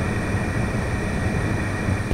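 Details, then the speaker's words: Yamaha YZ 250F engine leak-down test after valve adjustment, hose on mic: steady rushing hiss at the middle intake valve, indicating leakage; left and right valves silent. "the left valve the right valve is nothing but here on the middle valve we can definitely hear that hissing noise so i'm very happy we can actually pick it up on the mic"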